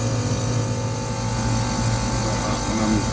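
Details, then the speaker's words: Old R22 ducted split system with piston expansion valve, after a leaking suction access valve was addressed, the failed crankcase heater replaced and refrigerant topped up, run a further 10 minutes in heating: 10.6K superheat, looking good. Even compressor hum, steady fan whir, no rattles; normal running. "Yeah, 10.6K superheat, happy with that. Yeah, about 10. Pipe temp. Yeah, looking good."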